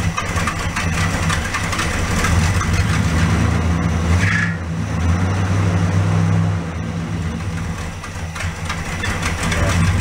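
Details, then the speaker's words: 1967 Plymouth convertible out of 1.5–2 years' storage, first start after exhaust manifold repair, with the choke set and a fast idle. A faint, quick puffing tick rides the rumble. Exhaust still leaking, worse than before, in the middle of the manifold. "Set that choke. Sounds like exhaust still leaking."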